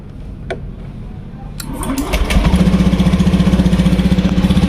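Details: Fuel-injected motorcycle with surging and hesitation but no MIL code, after adding a ground jumper to the green wire (resistance dropped from 21–24 to 3.6): cranks, catches and settles quickly into an even idle with no stumbling.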